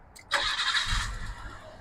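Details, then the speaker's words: Nissan R33 Skyline with idle issue: engine catches with a burst, stumbles and sags briefly after start-up, then runs great; owner suspects idle air control valve, considers mass air flow sensor. "See, once it starts and runs for a second, it runs great."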